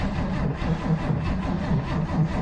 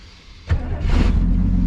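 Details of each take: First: 1967 Chevy Nova barn find sitting for decades, last inspected 1982: sluggish, uneven cranking at about two turns a second that fades without catching. A weak battery is suspected. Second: 1967 Chevy Nova barn find, off the road since 1983, restart after getting it running: short crank, fires at once and settles into a steady even low rumble with no misses; healthy start.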